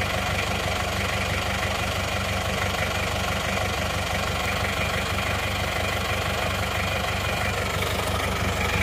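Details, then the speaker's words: Isuzu Panther 2.3 diesel before repair, using oil, smoke under the engine heavier than from the exhaust, as if on fire: steady idle with coarse chuffing clatter, no clear misfire; excessive crankcase blow-by from worn rings and liners. "dah boros asapnya dari buangan bawah itu melebihi asap knenapot sehingga ini kalauop di lampu merah itu banyak yang bilang Mas mobilnya kebakar Mas mobilnya kebakar gitu"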